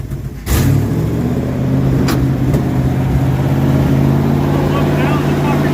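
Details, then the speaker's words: 1968 Dodge W200 Power Wagon, 383 big block: catches and settles into an uneven, lumpy idle with wavering drone. Carburetor suspected plugged, one side not getting fuel like the other, fuel pump also questioned. "ah one side's not getting fuel like the other side hmm that's what's going on I think it's plugged"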